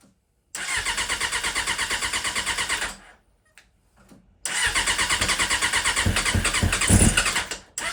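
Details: Suzuki GSX600F Katana: it catches and settles at a fast, raised idle with quick exhaust pulses even after new intake boots. The owner suspects an air leak elsewhere or a carburetor problem; the bike also overcharges the battery.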